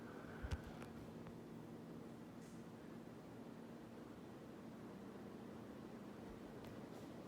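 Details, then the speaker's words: 42-inch Emerson Northwind ceiling fan on high speed: soft, even whoosh of moving air from the pitched blades with a faint low hum, no ticks or rubbing; normal running on high. "you could hear the wind you can hear the blades all pitching already like you could hear it it's pretty relaxing sound is so soothing to me"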